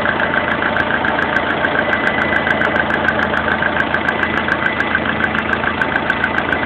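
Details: Lada Kalina 1.4 16-valve engine at idle: sharp regular tick-knock about two per second over the engine; internal knock, cause not determined.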